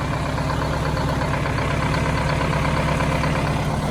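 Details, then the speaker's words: 1971 Insley excavator diesel, parked since 2000, restarted after sitting; low steady rumble with even beat, no misses or knocks; runs smoothly, normal diesel running. "boys and girls 1971 inslee excavator wow this sounds good"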